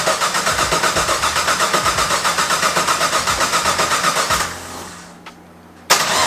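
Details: Drift car with a season of crank sensor issues: starter churns about four times a second for several seconds without catching; won't start, ECU diagnostic light seven red.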